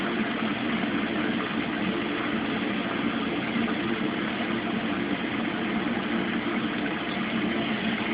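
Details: Mueller Special Brazilian washer, cold-fill-only machine that heats water itself, duvet load on 60°C wash with extra rinse, start of cycle: steady even rush of water, no knocks, hum changes or rattles; normal cold fill.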